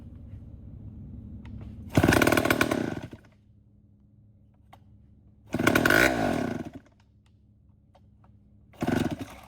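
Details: Vintage Homelite 7-19 chainsaw from the late 50s or early 60s, carb cleaned but still needing a new diaphragm: it catches in three short one-second roaring bursts and dies each time. Sputtering start, stalls after brief bursts; fuel delivery suspected.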